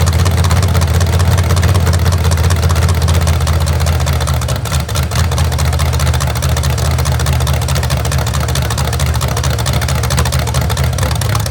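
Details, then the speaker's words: Rebuilt genuine 1970 Corvette LT1 V8, being built for a 1957 Chevrolet Nomad; deep strong burble with even pulses and clean revs, nothing knocking or ticking underneath. Normal running and revving. "sounds good. What you think? Still good motor. Sounds good."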